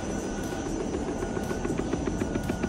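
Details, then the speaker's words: Audi A4 with aftermarket Webasto auxiliary heater: quick even knocking about seven a second over a steady droning shake under the hood; a coolant hose tee was also contacting. The heater's rotted mount is loose and knocking. "Немножко колхозим, чтобы убрать стук в этом месте. И обнаруживаем, что здесь стоит нештатная баста. И крепление в этом месте болтается."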